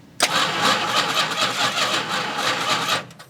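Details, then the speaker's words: 1971 Plymouth Road Runner, 383, off the road since 1989: about three seconds of even cranking, no firing; no spark at the number one plug wire though the coil gets power; dead coil suspected, MSD coil to be tried. "nothing nothing at all we think we might have a dead coil"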